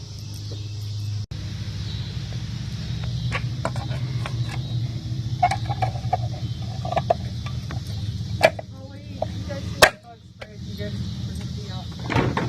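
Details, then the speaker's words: 2001 Buick LeSabre test drive after wheel bearing replacement (old one made noise from about 30 mph): low steady road hum with a few odd clicks, no speed-rising growl; new bearing sounds healthy, normal. "But bearing works like a charm, and thank you guys for watching this video."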